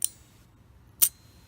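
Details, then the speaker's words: 1964 Cadillac power window relay, case removed, with its corroded contact sanded at 400 grit and dirt blown out, 12 V applied to the coil on the bench: three crisp clicks about half a second apart as the contacts close; normal relay operation. "can see it closed the circuit so pretty cool stuff"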